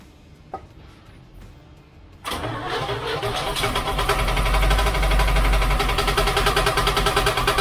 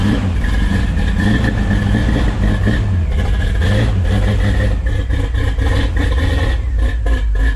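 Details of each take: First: 1972 Chevrolet C10 shop truck on first start after build: a fast regular knock, about three per second, rides over the idle, at first thought an exhaust leak; the bell housing inspection plate is contacting the flexplate. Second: 1972 Chevrolet C10 shop truck V8, previously run fine in another truck, running and revving after fix; steady rumble, no knocking left. Bottom-end knock turned out to be the inspection plate in the bell housing area, cut out; not a rod knock.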